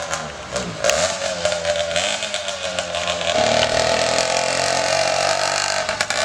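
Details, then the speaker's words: 80cc Walmart motorized bicycle two-stroke after rebuild with new carburetor and exhaust, first run: buzzing note rises and holds steady under throttle with no misfires; running fine. "oh all right sounds like it's iing good sounds like it's hling good"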